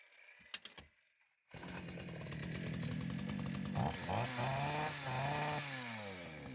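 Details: Chinese chainsaw after carburetor cleaning and new primer hoses, started outdoors: a couple of pulls then fires and settles into a strong steady buzz rising and falling cleanly with throttle; starts and runs normally.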